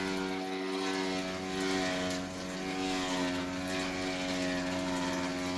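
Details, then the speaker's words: Electrolux washer keeps running with a steady droning hum of several fixed tones even after pause, cancel and every breaker switched off; dryer's two-pole breaker left on. "So right now the thing with power off to the outlet, it's still running."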